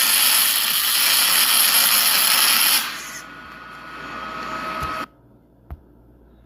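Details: ArcCaptain MIG 250 running MIG spray transfer for repair welding on a Caterpillar grapple bucket, a high-heat mode with deep penetration and shielding gas: a smooth, even high hiss for about three seconds with no crackle or popping, then it cuts off; normal spray transfer arc.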